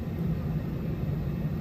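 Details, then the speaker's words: Temperzone OPA 550 package unit after replacing two burnt, faulty UC8 control boards: indoor fan blower motor running with a steady low hum and airy rumble, no rubbing, ticking or wobble; runs smoothly. "um you can hear the fan motor indoor fan blower blower what the that indoor fan motor running"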